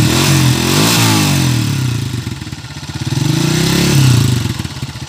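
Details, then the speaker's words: Bajaj 100 in for overhaul (owner was told the pilot bearing needed replacing, but there is none), revved: a light metallic tick rides over the exhaust beat and speeds up with revs. Engine tick of unknown cause; a leak at the block was also noted. "Yung mga boss, rev mo, rev. Revolusyon lang. Lagitik. May meow-meow na konti."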